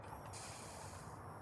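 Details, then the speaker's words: 1988 GMC S15 truck, first start attempt in years, fuel pump relay jumped: faint steady whir with light rushing hiss as the electric fuel pump runs and moves fuel; some fuel leaking and dripping. "You can hear fuel rush over there."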